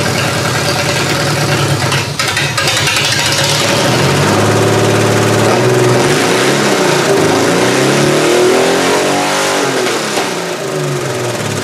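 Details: Chevy 3100 V6 swapped into a Camry, first start-up with big vacuum leaks and very old fuel: uneven, lumpy, stumbling running as revs rise; owner suspects cylinder two isn't firing, possibly a coil pack; misfire.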